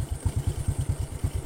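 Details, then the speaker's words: Honda Karisma motorcycle after engine overhaul, final test before customer handover: steady, even thump about nine beats a second, no knock or clatter. Normal idle, engine sound stable and not rough. "untuk suara mesin tetap stabil dan normal tidak ada perubahan suara intinya tidak kasar"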